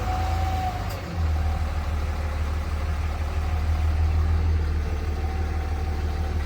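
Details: 3rd-gen Ram Cummins diesel at idle with a faint, steady mid-pitched howl. Turbo or fan clutch was suspected; a stethoscope traced it to a bad alternator bearing.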